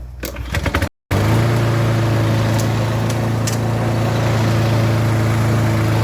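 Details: Husqvarna self-propelled lawn mower after replacing shredded drive pulleys: after a brief handling clatter, the small single-cylinder engine settles into a steady even drone with no slipping or squealing; drive system works, normal running.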